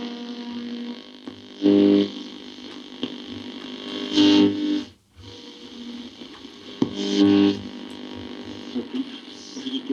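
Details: Restored tube radio powered through a light-bulb current limiter, working long wave band: a station comes through clearly with music and voices over light hiss and some fading, so reception works.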